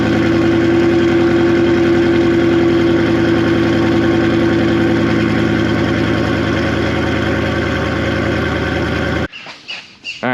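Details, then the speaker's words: V8 car with exhaust cutout valves open, not a cold start: loud, deep, even burble with a steady low throb and no misses; normal idle. "I currently have the valves opened. So, we'll start it up and I'll uh have you guys hear what it sounds like."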